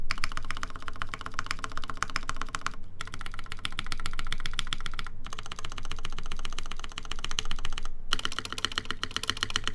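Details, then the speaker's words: gaff.60 HHKB keyboard, aluminum plate, Cherry MX Black housings with UHMWPE stems, lubed screw-in Durock stabilizers: quick key presses with a faint rattle on the larger modifier keys, on one side only; stabilizer rattle, to be relubed. "Oh, this is rattling. What the? It was not rattling earlier. It's rattling on this side."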